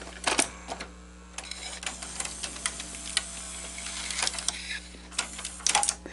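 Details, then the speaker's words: Cassette loading normally with sharp mechanical clicks and light whirring on a Sony SL-S600 Super Beta VCR under repair; this housing now accepts the tape, unlike the old one that had to be pushed in by hand; a bearing is faintly audible and needs lube. "so this cassette housing is actually going to accept the tape you'll notice that the other one was not accepting it I actually had to push it in by hand and of course it wasn't going down all the way so it wasn't working let's see what happens"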